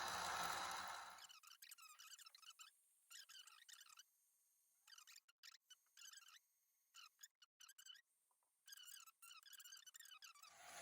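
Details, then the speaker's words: Sky-Watcher Az-GTI mount after maintenance, clutches closed, slewing at maximum speed 9 from the app: a faint high-pitched stepping whine in short bursts, smooth and even, no grinding; drives healthy. "And the mount seems to move properly and smoothly. There is no much of a bad noise."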